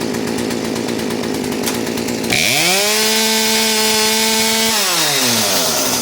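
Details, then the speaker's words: Poulan P3816 38cc chainsaw after HIPA carburetor, fuel line and primer bulb kit install, choke off: revs climb to a steady high pitch then sag and die back after about two seconds; engine bogging. "all right you can hear it bogging out like that"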